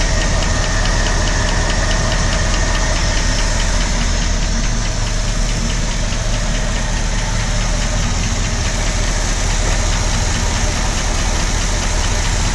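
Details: 1965 Ford Galaxie with 352 FE V8, just after starting: light, quick ticking about twice a second over a steady idle; top-end tick whose source is still being searched for.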